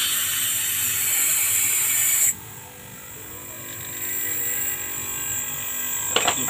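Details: Used AC compressor repurposed as air compressor/vacuum pump, bench test: loud sharp air hiss stops abruptly, leaving a low steady motor hum that slowly builds; normal air discharge.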